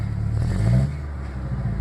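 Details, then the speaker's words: 1996 Ford Ranger 2.3 after a small mod: quick throttle blips, revs rise cleanly and drop straight back to a steady idle without stumbling. Owner says it runs great, only noting a slight gas smell. "it gas it goes back to the regular Idol get a little more gas it goes back to regular Idol this one runs great"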